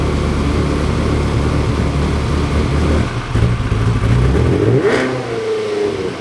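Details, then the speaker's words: Ferrari 360 Spider after a temporary vacuum-leak patch, second start: rough uneven exhaust beat stumbling as revs climb and fall. Still misfiring; owners suspect more than two coils, possibly injectors, are bad. "It still does have a misfire. It still needs two, 3 coils easily. We'll without a doubt, it needs more than 2."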